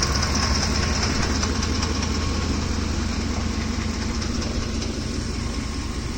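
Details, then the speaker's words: Ford F-150 3V Triton V engine, hot at idle: fast, even ticking clatter over a rough, loud idle, plainly audible from a distance, from the top of the engine; possibly a camshaft problem, unconfirmed. "You can even hear it from here. It's making a lot of noise."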